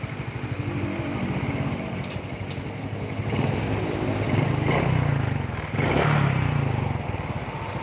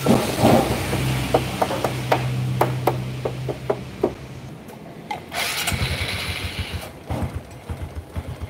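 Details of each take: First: Honda Karisma motorcycle after engine repair: single idles evenly, revs cleanly when blipped and returns to steady idle; normal engine running with adequate power. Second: Honda Kharisma motorcycle, just started cold, weak and down on power: sputters unevenly, beat stumbling and dropping out between blips, never settles to a steady idle, dies if revved hard, must be throttled gently, needs warming up first.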